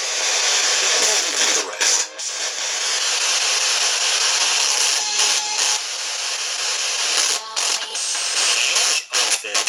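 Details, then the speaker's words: Small spirit box radio device on its built-in speaker: harsh hissy static with sudden choppy dropouts and loud bursts, rough and piercing; poor speaker, replacement proposed. "you get the idea there's a there's a loud static burst there but why don't we replace this little speaker with one of these"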